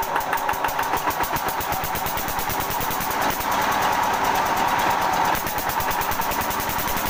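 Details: Small single-cylinder diesel (5/10/14 hp class) thumping at roughly 200 beats a minute, uneven and lazy, running too slow under the governor setting.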